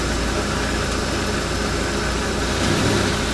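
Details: 1995 RV engine after its seized fuel pump was replaced with a bigger retrofit pump: steady, even idle with a smooth low rumble and no knocks, misses or hunting; settling in fine.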